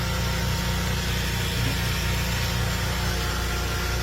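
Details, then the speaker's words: Myers 2 hp double-seal grinder pump with axial cutter on a test display; deep steady motor drone with even hum, no knocking or surging as it pushes the gauge up to 50; normal running under pressure. "So it pounded that gauge right up to 50 with no problem."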